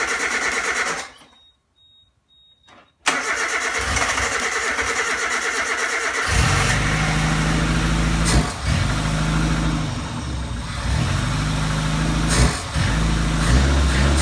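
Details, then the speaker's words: 1987 Suzuki Samurai Sidewinder kit with new 44mm Screaming Eagle carb, first fire-up: after a pause, cranking catches and settles into a fast, steady racing idle near 2,000 rpm; carb idle set too high, later turned back to about 1,000-1,500 rpm. "it up in the nail was at like 2,000 rpms which was way too high so they like basically turned it back um until I got to around a thousand or 1500 rpms"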